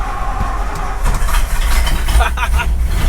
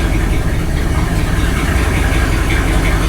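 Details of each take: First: 1964 Ford Galaxie 500 first start after sitting 15 years, new condenser and points set, distributor cap refitted, battery connected: catches quickly and settles into deep steady idle, no ticking or knocking; fired right up, running clean. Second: 1964 Ford Galaxie 500 just revived after 15 years sitting with new condenser, at idle: deep uneven rumble with ragged blatty exhaust note, no lifter tick; exhaust is terrible, possibly leaking; accelerator pump leak also noted.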